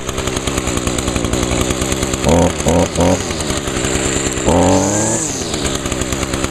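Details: Echo two-stroke string trimmer, started on choke with primer pulls after decarbonizer in the cylinder; smoky at first, has an i30 recoil starter. High buzz that holds steady through three quick blips and one longer rev, climbing and dropping cleanly: normal running.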